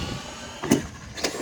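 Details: Traxxas MAXX RC truck with wide kit, running a 3S lipo, after fixing a center diff grinding noise by lining up the hash marks on the axle slides: two quick electric whirs with no grinding or crunching through the driveline.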